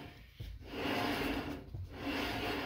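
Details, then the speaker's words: 1969 Dodge Dart that rolls poorly, sat for a while, front wheel turned by hand: dry gritty scrape rising and falling, like brake dragging on rusty rotor; caliper drag suspected; brake scraping. "esto es óxido. Dios no suena bien en absoluto"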